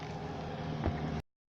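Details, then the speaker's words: Toyota MZ21 Soarer 7M-GTE after its six long-clogged injectors were cleaned with an eBay kit and refitted: engine catches and runs steady and even briefly — normal start. "Oh, listen to that. She's got a fire up."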